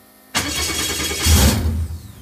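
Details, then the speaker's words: Viking Aircraft 130 engine with clear temporary fuel line confirming fuel supply past low pressure filter: starter spins with steady whirring churn that swells then fades, never catches; cranks but won't start, sometimes spits black smoke. "low pressure fuel filter will try to crank it you can hear just a little bit and that's like so typically what I've been getting and usually sometimes I'll see it spit a little bit of black smoke"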